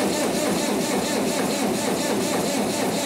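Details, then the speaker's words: 1959 International Harvester B275 tractor with a BD144 diesel, after the fuel filter change and priming; slow, uneven chugging at about two turns per second with a rough rushing note, turning over on the starter without catching. "If nothing else, the fuel system is for sure primed."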